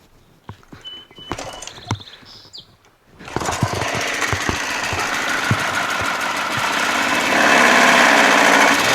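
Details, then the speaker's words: Pressure washer small petrol engine after a new water fitting: catches and races with a fast, harsh buzz that climbs and never settles; RPMs really high; pump now works. "how about that power wash it works however you noticed the RPMs are really high huh"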